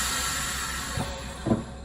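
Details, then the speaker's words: Vacuum sealer bagging fish fillet, heat strip on about 6 seconds: low steady pump hum then brief soft hiss as vacuum releases; normal release at end of sealing cycle. "6 seconds it's on there, then it'll give me a release."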